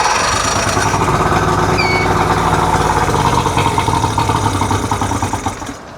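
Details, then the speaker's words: 1999 Johnson 70 hp two-stroke outboard with water on it and air box off. With carb air mixture screws at about 2.5 turns, it cranks with ragged firing and almost starts. Hard starting, likely lean. "Almost. So we'll turn these air mixtures out another turn, see if it makes a difference."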